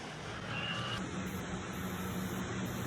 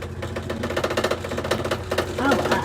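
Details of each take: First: Comfee 0.9 cu.ft portable washer (CLV09N1AMG) with a pretty big load, base slot slid under but left unscrewed: steady, even hum with no knocks, scrapes or rhythmic thumps; running normally so far. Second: Brand-new Comfee 0.9 cu.ft portable washer (CLV09N1AMG) on rinse: runs fine, then a rapid regular clattering thump, several beats a second; afterwards it stops at 10 minutes asking for water. Abnormal rinse noise, cause unknown; unit refunded.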